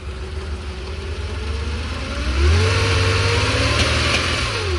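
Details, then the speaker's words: 1969 Porsche 911T RSR tribute with a rebuilt 1977 2.7L flat-six on carburettors, after years in storage, revving from idle with a faint irregular pop; the carburettors are thought to need dialling in. "you guys hear that little it's got a little pop so someone could dial it all in and make it perfect"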